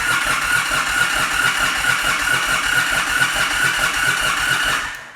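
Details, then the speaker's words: 2022 Indian Super Chief ABS crank-no-start: starter churns steadily at about two turns a second with no firing and no RPM shown on the gauge; a faulty crankshaft position sensor means no engine position signal, so spark and fuel are cut. "But if it doesn't know where the engine is in the rotation, it's not gonna know how much spark or how much fuel to add, so it doesn't do anything. It just cuts it off."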